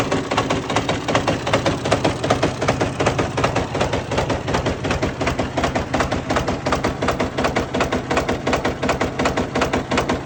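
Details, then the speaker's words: Fiat 450 Special tractor, very cold day, after working ATF out of the cylinders: heavy, hard knocks around 160 a minute hammer through the run, far beyond diesel clatter; severe engine knock, afterwards the flywheel spins but nothing inside turns, snapped crankshaft suspected. "right everybody if you haven't worked it out yet from the noises this tractor is rooted uh definitely something not right"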